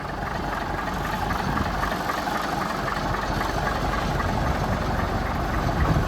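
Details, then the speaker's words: 1965 Mack B61 turbo Thermodyne diesel, cold morning start after a fuel filter change, possible air bubble in the fuel line: very slow, uneven, lumpy chugging idle that wavers as if short of fuel; owner suspects fuel starvation, unconfirmed. "because the truck's acting like it's running out of fuel when it's running weird"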